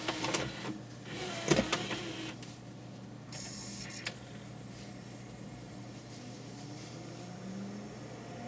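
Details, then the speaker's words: Pioneer CLD-S310 PAL LaserDisc player after cleaning and greasing the drive (problem was dirt and lack of grease): sharp clicks as the disc loads, then a smooth, quiet, steady whir spinning up; reaches speed, finds track zero and plays immediately. "up to speed and zero track there we are and we're playing back straight away"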